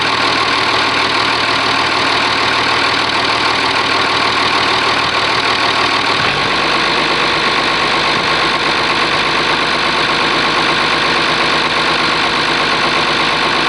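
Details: Oliver 1850 diesel tractor idling after a cold start at about 45 degrees, gauges showing charging: steady, even idle with a smooth, unbroken beat, no knocks or misses. Normal idle.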